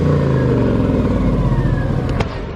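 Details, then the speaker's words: Swapped V8 in the "Vet" after the exhaust was fixed: a deep, even rumble with a steady beat and no knock, though a knock had been suspected. The exhaust is oil-soaked from the previous blown engine and is being burned out, and the cats are breaking apart. Normal running. "It's actually running. Thing is a sewing machine. So that was a big issue because we thought it was knocking potentially, but as you can hear it."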